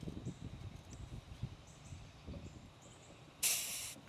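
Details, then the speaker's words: MrCool Universal split HVAC outdoor unit, refrigerant valves being opened after about a year installed: quiet outdoors, then a sharp half-second hiss as the service port cap comes off; owner suspects refrigerant seeped past the valve. "Oops. I heard a little hiss, and this is the correct cap. I just confirmed with the manual. This is the port, I guess, to test and add."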